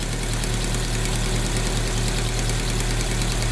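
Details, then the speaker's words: Chevrolet Agile/Montana-type petrol engine at cold start, idling: light, uneven ticking over a low hum from an exhaust leak, which fades as the engine warms up. "Olha o barulhozinho aí, ó. Isso aqui é vazamento no escapamento, tá vendo? Vai aquecendo, esse barulho vai diminuindo."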